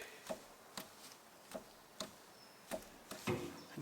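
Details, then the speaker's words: Ford Fiesta lower suspension arm pulled by hand: sharp hollow knocks about two a second from vertical play in the internally worn lower arm ball joint, the knock heard on the road; arm being replaced. "there is a slight vertical movement in the ball joint which means the ball joint is internally wearing and allowing um play and this is the knocking that you can normally hear down the road"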